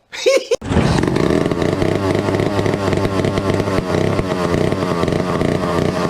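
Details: 1962 McCulloch 1-46 chainsaw, revived after lacking its carburetor and other parts: fires up and runs with a steady, crisp two-stroke buzz, no misses or stumbles; sounds healthy.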